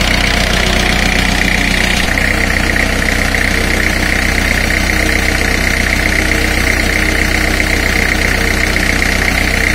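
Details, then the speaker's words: Four-cylinder diesel at idle of about 928 rpm, read by a flywheel-reflector tachometer: steady clatter that shifts slightly in tone as each cylinder is cut; drops are close together and the engine is in good condition, though idle should be about 1,500. "i have i should have increased the engine idle rpm to somewhere around 1 500 for smooth operation but anyways the engine is in good condition"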